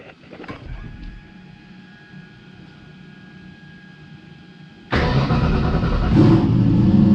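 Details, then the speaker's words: Fox-body Mustang with new turbo Dart 363 build, brief start, smoke from spilled oil: soft even idle rumble, then a jump to a louder steady run, no knocks or misses; sounds healthy. "so don't worry about that smoke spilled a bunch of oil idiot but uh yeah sounds good"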